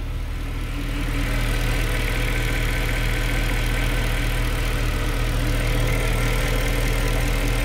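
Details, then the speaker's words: 2013 Mercedes C63 V8, 100k km, cold start after refitting the throttle bodies and clearing the throttle adaptation fault, new battery: steady, even cold idle, deep smooth rumble, no knocks, ticks or misses; running clean. "Not bad, not bad. Nice. It is a cold start, by the way, yeah."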